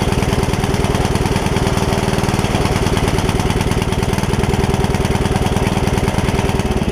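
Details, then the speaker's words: Free Yard Machines riding mower engine that filled with water from sitting without air filter; after repair it thumps roughly about three beats a second under deck load, possibly running rich and smoking; valves not gapped yet, owner suspects water still coming up. "part of it missing is i didn't gap the valves when i fixed it or when i put the valve cover back on so i need to do that one more time"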